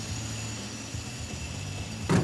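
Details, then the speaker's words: 1953 Packard after a few running adjustments, idling in gear. Smooth, steady low idle with no stumble. It no longer stalls when shifted into gear as it did before, and it's running the best it ever has. "sounds pretty good yeah it's not stalling out when we shift like before was stalling okay so we got the Packard purring like a kitten here"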